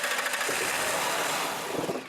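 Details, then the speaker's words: Sable no-start: compression and spark present; carb cleaner sprayed into the throttle body makes the engine catch in a ragged burst that fades within two seconds, confirming a fuel delivery/fuel pressure fault. "you go this vehicle wants to run so clearly we've now defined that we've got fuel delivery fuel pressure problem we've got to solve"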